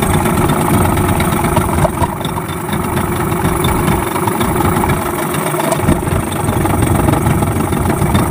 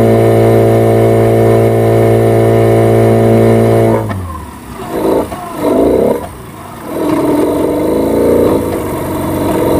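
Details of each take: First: Yamaha 15 hp outboard just after repair for hard starting and no power (stuck piston rings, clogged exhaust), carb and engine reassembled: starts quickly, steady even two-stroke burble with no misses or knocks; normal running. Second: Yamaha 15 hp outboard, hard starting, sputtering and dying when throttle is raised, no power; caused by stuck piston rings and a carboned dirty exhaust.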